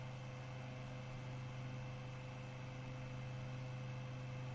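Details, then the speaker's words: Brushless computer fan after reversing its rotation, now spinning the proper direction at about 0.085 A at 20 V: steady low hum with faint even buzz, no rubbing or ticking, running normally. "we are rotating in the proper direction and actually moving over 0.5 no no 0.05 amps"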